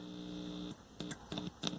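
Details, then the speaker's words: 1970s General Electric CYA7342 color TV with no sound: a steady low mains hum comes and goes in bursts as the audio IC input (pin 14) is touched; the audio amplifier chip is working, and the suspected fault is the IF detector IC or a coil. "we're getting sound so the chip is probably okay"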